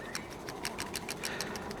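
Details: 1991 Mercedes 300CE idle control valve, removed and cleaned to cure rough idle: crisp even rattling about seven times a second as the valve is shaken by hand, showing internals now move freely.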